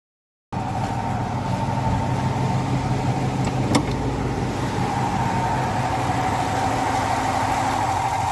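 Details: Ford F150 5.0 L V8 at idle: a steady high squeal riding over the engine, suspected worn water pump bearing (exhaust shield rattle also common on this engine); cause not confirmed.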